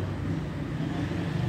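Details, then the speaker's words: 2001 Honda Civic that cut out near 3000 rpm under acceleration, fixed by replacing a part (battery removed first): low even engine hum with steady firing, no misses or cut-outs; problem resolved, normal running. "y está resuelto el problema"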